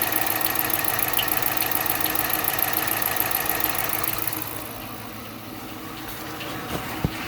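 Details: 2013 Dodge Charger, former police car with 140k miles, knock not present during the previous 20 miles of driving. Steady idle with a regular ticking knock of about three or four per second over the engine note: engine knock at idle.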